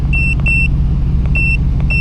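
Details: Truck at a dealer auction, low on fuel: deep, even engine rumble with no knocks or ticks, only a few electronic chime beeps over it; the engine sounds healthy.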